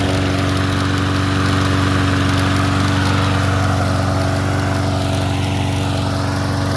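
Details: 2015 Troybilt TB110 push mower after a used replacement carburetor, new spark plug gapped to 0.030 and valve check: starting hits the recoil, then a steady, even single-cylinder drone with no misses. Normal running.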